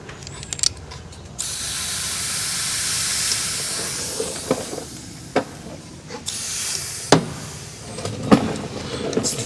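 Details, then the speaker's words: Helper air bag install on a 2019-up GMC Sierra/Chevy Silverado while inflating. Loud steady hiss of escaping air, then pressure bleeds off: air leak at the T-fitting where the bumper line enters, fixed by pushing the line in fully. "It's leaking somewhere. I got a leak. It's coming right. It's bleeding right back off."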